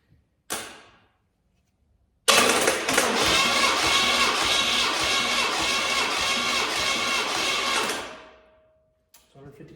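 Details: Small block Chevrolet engine cranking during a compression check before installation: about six seconds of steady, even starter whirr with no uneven beats. Normal cranking, consistent with good compression.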